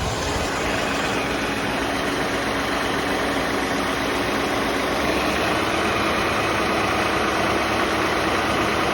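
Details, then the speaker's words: 1989 Mercedes-Benz 560SEL W126 V8, AC compressor relay bridged for idle test: steady, even idle with smooth hum, no hunting or stumbling; idle speed control valve working, normal raised idle. "and you can hear the unit will line up so the idle speed control valve is working"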